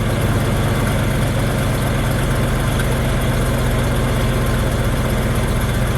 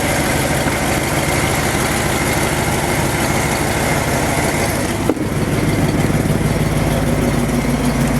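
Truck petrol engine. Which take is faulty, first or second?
first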